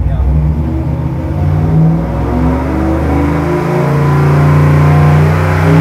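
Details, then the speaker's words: 327 small-block Chevy on the dyno with Summit aluminum heads, healthy cam, single-plane intake and 750 Holley carb, making about 426 hp at wide-open throttle; deep, even roar climbing smoothly, with a chirp at pull start said to indicate good airspeed. "Well, I can tell if you listen to it when it first starts to start up, you hear it chirping. Yeah. That means it's good. It means it's got real good airspeed."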